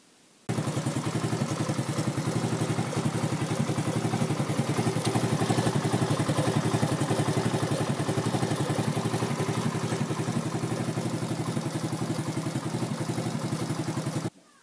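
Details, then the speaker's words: Racer moped (likely 110cc) after repair: cracked gear replaced, steady even putter about 220 beats a minute, no knocks, rattles or grinding; all gears work, running normally. "перебрал, все работает отлично. Никаких посторонних шумов нету. Все передачи работают."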